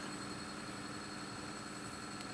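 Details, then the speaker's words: An early-1960s Revox G36 four-track stereo valve tape recorder, after service and a straightened bent spindle, fast-winds from one direction to the other. It gives a smooth, even hiss with a faint steady tone and no catches. The transport is healthy and gentle on the tape. "you can fast spol from one direction to the other direction um it's quite kind on the tape doesn't stop instantly and snap the tape"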